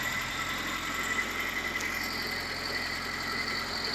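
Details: UZAM 412 engine before repair, idling: faint regular knock under steady hiss and light squeal; teardown found broken connecting rod bearings, worn piston rings, crankshaft end play and a water pump near seizing.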